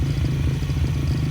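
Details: Brand-new 160 cc pit bike engine (KLX-style), being prepped for track use, first start, not yet tuned: deep, steady, evenly paced idle thump with no ticking, rattles or odd noises; normal idle.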